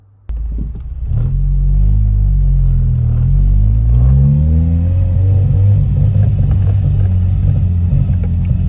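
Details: Ford Mondeo driven on road after breaking down on way home from Santa Pod: engine drones and pulls slowly under load, wavering and losing power, stalled earlier; owner suspects fuel pump, unconfirmed.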